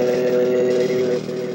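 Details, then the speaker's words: Gorf arcade game board 2 with custom chip D powered on: loud, harsh droning buzz of stacked fixed tones with no melody or effects; the custom sound chip is bad. "Custom D. Let's power it on. Whoa. That's not good. Listen to that. Totally jacked up. Yeah, not good, right?"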